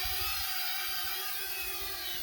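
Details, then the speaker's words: Holy Stone HS430 mini FPV drone after being thrown into flight: steady high even whir holding level despite light wind; motors healthy in a stable hover. "so i'm going to throw the joint up so another cool feature that it has is that you can literally throw the drone and it will start flying"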